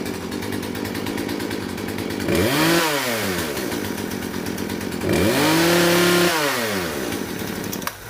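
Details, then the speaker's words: Poulan P3314 chainsaw after full carburetor swap: two-stroke idles with buzzy rattle, revs sharply twice and drops back cleanly; runs much better than with old carb, may need slight fine-tuning. "I started up you can hear it probably needs a little fine-tuning but that runs a way way better than they're trying to Carver that was in there"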